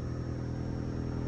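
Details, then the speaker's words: 2011 Ford Fiesta, manual transmission, intermittent crank-no-start with no codes, fixed at a relay in the fuse box (new AC relay still needed): now starts fine, short steady even low idle, no stumble or misfire; normal idle. "car starts up fine now we can solve all the other problems this thing has but that solves that problem"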